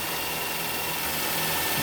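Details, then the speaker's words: Four-cylinder car just started by a Foxspeed battery booster pack with no help from its own battery: steady, even idle with a smooth hum and no knocks, misses or surges. "No help from the battery at all. And this little thing that weighs less than my work boots just started that car."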